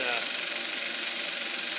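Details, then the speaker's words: Eberspacher B1 gasoline heater from a VW Beetle, bench test fire on second attempt: even airy roar with quick steady flutter, no misfire gaps; the burner has lit and runs normally. "Now we're cooking with gas."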